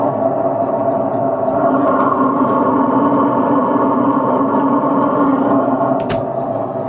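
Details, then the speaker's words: Old washing machine with a noisy spin-dry tub, which was sticking and then spins with a loud noise and a faulty brake. Steady droning hum with a gritty roar; worn spin motor bearings and a torn rubber seal to be replaced. "อ้าหมุนแล้วครับบัดนี้หมุนแล้วครับแต่มีเสียงดังครับทั้งปั้นแห้งเบรกเสีย"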